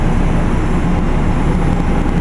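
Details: Carrier Infinity GreenSpeed 25VNA inverter heat pump starting in cool mode, same as in heat mode: steady low hum, even rumble, faint tone near 200 Hz, no knocks or grinding; sounds odd at startup but this is normal.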